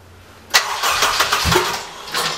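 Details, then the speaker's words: Honda K24 engine swap: the starter cranks it for about two seconds without catching, open header with no exhaust fitted; it won't fire until the fuel is primed up the line. "prime it a couple times turn the key on for a second turn it no off"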